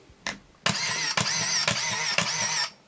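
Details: Pentax SF1n 35mm film SLR with 35-80mm Pentax-F lens, powered on after loading film: one quick click, then four rapid high-pitched whirring bursts that stop cleanly as the motor advances film to frame 1; normal.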